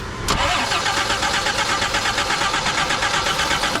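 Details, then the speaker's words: 1983 Jeep CJ7 that sat unused for years and needs a tune-up: steady starter cranking, engine spins evenly but never fires even with starter fluid sprayed in; crank no start, cause suspected not confirmed (fuel pump considered). "She does not want to start. She just probably got a quarter cup of starter fluid in there."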